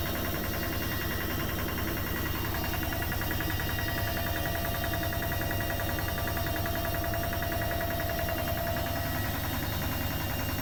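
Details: Bosch Maxx washing machine: constant drone with faint mid-pitched whine and rhythmic thrum about two beats a second; abnormal motor noise of unclear cause.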